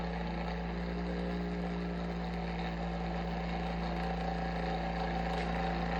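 Steady low hum with a constant mid tone riding on it, slightly uneven underneath; the fan motor sounds off, cause unclear.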